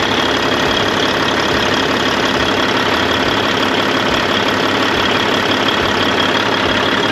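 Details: 1998 Freightliner Classic, Cat 3406E diesel, after replacing injectors and cups (fix for fuel dumping into oil at idle), injectors set at 52.32, fresh oil, 68 psi oil pressure: even steady idle clatter, no misses, hunting or uneven knocks; normal idle.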